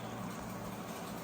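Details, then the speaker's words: Microwave after magnetron repair, heating soup 30 seconds: steady, even buzzing hum with no clicking or cutting out, where before it clicked and did not heat; normal microwave operation. "Can you hear the buzzing? It's working. It's working. Ah, it's working."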